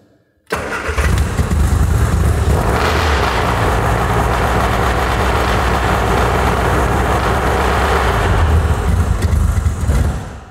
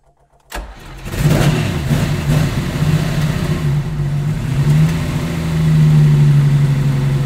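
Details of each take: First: Cold classic-car engine started on full choke: two or three beats of the starter, about one and a half turns, then it bursts into life and surges to about 2000 rpm; over-fast full-choke flare that wears this engine. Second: Stone-cold Lamborghini Miura V12, effectively no choke, started with ignition on and six throttle stabs, taking two or three attempts; brief cranking, then it catches and settles into a steady, slightly raised fast idle, healthy cold start.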